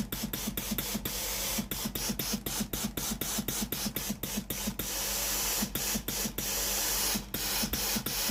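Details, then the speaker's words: Philips PSG8160 steam iron after repair of faulty boiler/heating part: steady steam hiss with quick even pump ticks as water button is pressed; boiler hot, normal steam output. "Nếu nồi hơi nóng, hơi nước sẽ thoát ra từ phía này. Hệ thống nồi hơi đã được kiểm tra và đang hoạt động bình thường."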